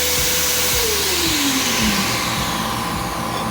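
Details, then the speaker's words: Eastwood bench-top blast cabinet vacuum switched on, Quincy portable 120V compressor set at 90 PSI: steady loud rushing roar with constant whine, no rattles; cabinet sealed tight, gloves lifted right up. Normal running. "Oh, it's vacuum tight really good. It lifted the gloves right up."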